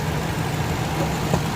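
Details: Ford high-top van warming up at idle right after a Noco booster jump start, unrun for over a month: low steady even idle, no knocks, misfires or hunting; settles smoothly, runs normally.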